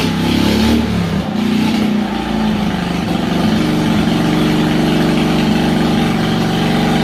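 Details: Harbor Freight Predator 670cc V-twin engine, wired for a mini boat motor: a deep, loud roar that climbs in pitch, then holds high and even without stumbling, a healthy engine pulling freely when revved.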